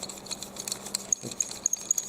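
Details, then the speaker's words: Handheld muscle massage roller stick: short, high-pitched squeaks chirp irregularly as the rollers turn; lubrication suggested as the fix, cause not confirmed. "they squeak yeah if you gon lining you look at the info for the companies they say no they won't squeak"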